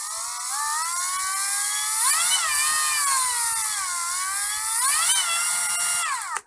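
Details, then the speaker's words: Ryobi R18PD5 brushless drill/driver, motor whine rising and falling with the trigger: five distinct speeds forward in screwing mode, continuously variable in reverse with a brief overshoot at top speed; normal variable motor speed. "if i put it in screwing and put it forwards listen to this [Music] there are five distinct speeds as i pull the trigger but if i put it in reverse"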